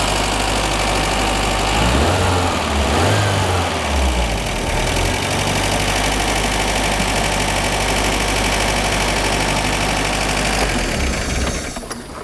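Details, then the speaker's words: 1982 Renault Fuego turbo, revived after long storage, fully warm: petrol idle wavers and dips before steadying, an erratic hunting idle; vacuum leak suspected, smoke tested. "in getting it running once it fully warms up the idle is erratic it goes w w w"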